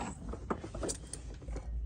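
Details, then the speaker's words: EZGO golf cart charger with DC cord plugged into batteries and AC cord unplugged: one sharp crisp click as battery voltage pulls in the charger's internal relay; normal charger relay click. "Magic. All right, now you heard the charger click. Now it clicks without the AC cord plugged in. And what that click does, it tells the charger that the batteries are putting voltage out to activate the relay inside the charger."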